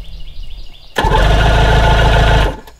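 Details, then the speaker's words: Old Evinrude 90 hp outboard with no fuel connected, cranked using a Gooloo GP4000 jump starter via a corroded cable: strong, even starter churn of about three to four turns per second for 1.5 seconds; turns over freely, doesn't fire. "it has no fuel connected I don't expect it to start the only thing I'm looking for is for it to turn over"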